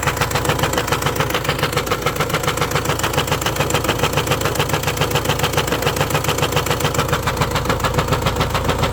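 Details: Renault Espace 1.6 dCi M9R diesel idling: steady sharp knock about 3.5 per second, source unknown.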